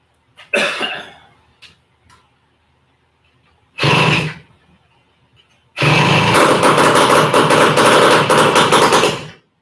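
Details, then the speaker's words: Horizontal Minarelli two-stroke engine just started, no expansion chamber fitted yet (an '85 stock pipe is to go on): a couple of coughs, then a harsh, crackling, rapid bark through the raw open exhaust. "I don't have an expansion chamber on it yet, but I got a Hi."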